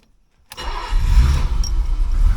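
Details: 1985 BMW 635CSI: a short crank catches straight away into a steady, even low idle with no stumble, after an alternator field wire fix and a bad connection reseated, charging at 14 volts; normal engine start.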